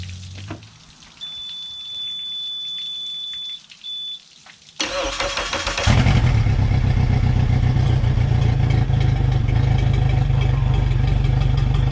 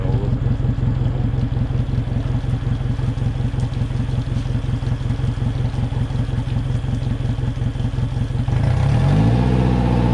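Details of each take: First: 2021 Suzuki 150 hp outboard salvaged from a hurricane, after fuel system repair by freeing a stuck fuel pump with hammer taps: warning beep, brief crank, then catches into a steady, even rumble; starts and runs cleanly. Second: Hurricane-salvaged 2021 Suzuki 150 outboard after a fuel system fix, revved hard in neutral against the rev limiter near 3,000 rpm: it pulses about three times a second as the limiter cuts in, shuddering and bogging.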